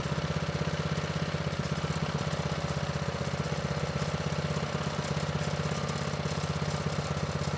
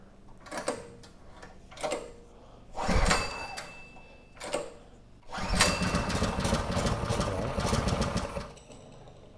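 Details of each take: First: Manco Streaker vintage mini bike with Predator 212 (6.5 hp), drive disconnected, after raising low idle: quick even single-cylinder putter at steady speed, no misses or knocks; normal idle. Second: Predator 212 engine on a Manco Streaker 580 mini bike, unrun for years, choke on, chain disconnected: the small single fires in short uneven bursts, catches, sags and dies. It won't hold idle; the idle setting is likely too low.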